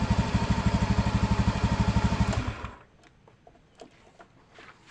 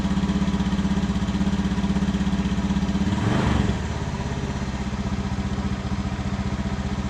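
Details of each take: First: Honda Beat FI scooter that was cutting out suddenly, after a new battery and new spark plug: even, rapid exhaust pulses at fast idle, then it shuts off cleanly; the engine runs and starts fine: normal running. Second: Honda Beat FI scooter with new battery, before plug change: runs only at idle, ticking over fairly evenly, then stumbles and sags on throttle blips instead of revving; a new spark plug is fitted next: misfire, spark plug suspected.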